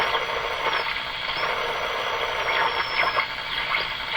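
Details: Eatons Universal Electrohome floorstanding tube radio, heavily modified by a previous owner, during IF alignment check: a high thin whistle holds, drops out and returns over crackly hiss, popping in and out; spurious oscillation affecting operation.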